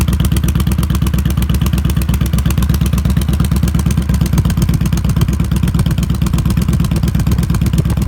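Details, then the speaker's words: 2016 Yamaha Star Stryker V-twin at idle with a Vance & Hines Twin Slash Staggered exhaust: a quick, light ticking on the exhaust pulses since a quiet baffle was fitted in the upper pipe the day before. Cause unconfirmed. "top exhaust has a quiet baffle installed installed it yesterday and now there's a ticking sound coming from the [Music] exhaust"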